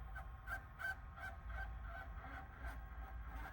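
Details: VCR playing a VHS-C compact tape of home movies: rapid, repeating mid-pitch squeaks, nearly three per second, from the tape path on play before the VCR shuts down; player or tape at fault.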